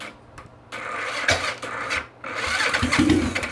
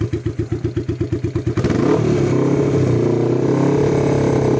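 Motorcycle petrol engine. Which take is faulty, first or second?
second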